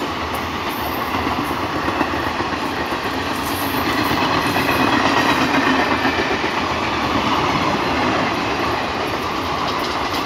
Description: One Can Notice Weird Sound Coming From One Of The Coaches Of Train Is Due To Flat Wheel.